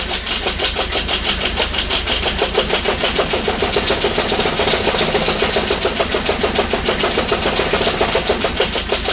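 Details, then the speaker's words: 1989 Toyota Corolla engine: sharp, evenly spaced knock about three or four a second through the idle after it finally idles; sounds like rod knock; oil pan removal planned to inspect. "i don't know if you guys can hear that on camera but it really does sound like a rod knock"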